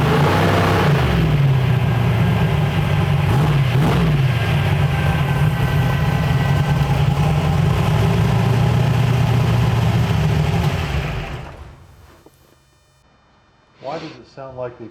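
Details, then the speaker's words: Twin-turbo Chevy S10 on first drive since upgrades: lumpy, choppy, uneven firing as it revs and drops back, then shuts off. Owner suspects ignition timing (marker shows advanced) or a crank/cam signal issue; unconfirmed. "when you rev it up it just sounds like it's the ignition timing is [ __ ] it's not there's no way"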